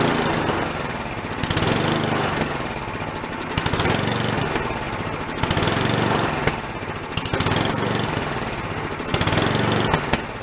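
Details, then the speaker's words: Free old snowblower small engine, first start after cleanup, no choke: speed rises and falls about every two seconds; no response from idle adjusting screw; blocked carburetor idle circuit, carb to be soaked in ultrasonic cleaner. "my fault I didn't pull the idle circuit out has no idle circuit we gotta go take that car block soak it so you can get to come clear no response from the adjusting screw neither"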